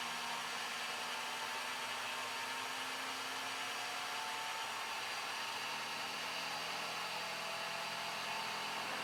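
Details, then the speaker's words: Flashforge Adventurer 5M 3D printer, input-shaping vibration calibration after bed leveling: print head shakes faster and faster until only a steady, even buzzing is heard, with no knocks or grinding. Normal calibration buzz. "pretty soon it's so fast you can't even see it you can just hear it as a buzzing"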